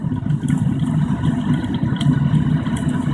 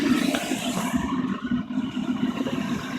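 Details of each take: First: Waste-motor-oil burner, second attempt, oil pumped rather than head-pressure fed, propane assist at about 5 psi, still heating up: deep steady roar with light spattering crackles as oil spatters inside, flame holding; normal burner roar. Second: Waste-motor-oil burner with pumped oil, not yet up to temperature: propane assist (about 5 psi) shut off as a test, steady roar loses its hissing top and drops to a duller rumble; roar lost, weaker flame, so propane is restored.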